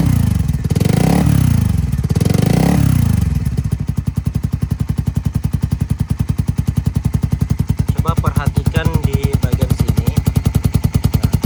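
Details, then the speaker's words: Suzuki Satria injection single idling with a 3-level DB killer silencer after 2 years of use. Steady metallic rattle about three times a second from the loose, worn valve flap, which stops when held by hand; the silencer also leaks air. "Nah, kalau Anda dengarkan, saat saya memegangnya, suaranya menghilang. Suara seperti ketukan logam itu menghilang."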